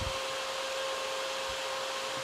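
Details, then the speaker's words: 12V DC case fan wired to a variable-voltage DC adapter, switched from 3V up to full 12V: steady airy rush with constant mid-pitched tone, much stronger flow; normal fan operation at full speed. "So this is fan working on its maximum setting. Should be a much, much stronger flow. Yep, there we go. That's really blowing now."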